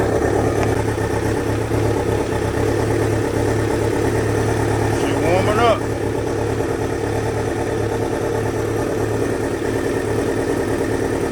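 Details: 2000 Kawasaki Ninja ZX-7R 750 four-cylinder after no-crank repair, carbs likely dirty, just started and still warming up, small leak noted: even, low four-cylinder idle holding steady, no misfire or tapping; normal idle.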